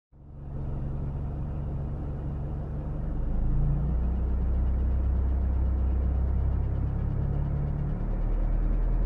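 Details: 2000 Mitsubishi Eclipse engine running and revving slightly with a deep, uneven rumble and no clear knock rhythm; abnormal engine noise, cause not identified.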